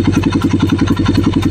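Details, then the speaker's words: Single-cylinder on first start after fitting a low-budget steel-bore block, cams set 10 intake / 20 exhaust, being broken in: fast, even putter at idle with no ticking or knocking, a quiet, healthy top end. "Sundutin ko lang para makita natin kung tahimik. Yan, tahimik naman mga ka-rider."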